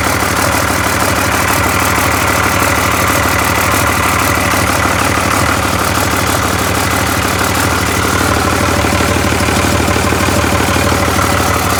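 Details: Cummins diesel with VP44 pump, 199k miles, 2000 engine harness rewired to a 99 engine computer after a no-start, running with a temporary intake: steady, even idle clatter with no misses or stumbles, rhythm holding constant; normal idle.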